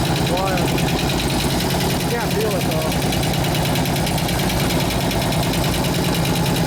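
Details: 2004 Harley-Davidson FLHT 88 Twin Cam after cam change and tensioner repair, fresh gas and new oil: fast even lifter tick over loping idle; new lifters, supplier says run 15–20 minutes and it should go away.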